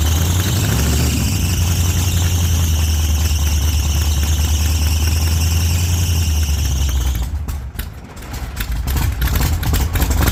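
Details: 1948 Chevy Fleetline small-block V8 (4-speed), first run after sitting a while and a motor repair, after heavy throttle pumping: deep, loud, steady idle, then sharp throttle blips. Fires and runs strongly.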